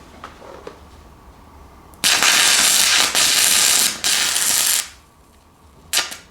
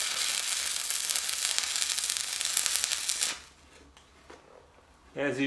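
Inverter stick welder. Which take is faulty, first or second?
first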